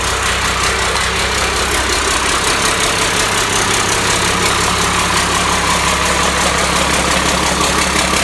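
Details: Cummins 5.9 12-valve diesel, first start on engine stand, hot-wired starter, destined for a truck: steady even diesel clatter at idle, regular beat, no knocks or misses; running healthy.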